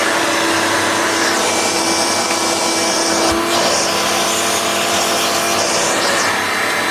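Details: Hoover Turbomaster U5094 upright vacuum after refurbishment, brush roll off: steady, even high-pitched whir, no rumble or scraping. Both motor bearings had been seized, fancase one spinning on the armature shaft; motor now runs smooth and healthy.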